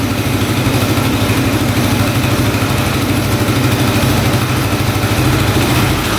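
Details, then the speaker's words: 1995 Suzuki DR650 single-cylinder street-legal dirt bike idling without choke, new air filter not yet fitted: steady even thumping idle with no misses or knocks, sounding way better than before; normal idle. "oh yeah that sounds way better"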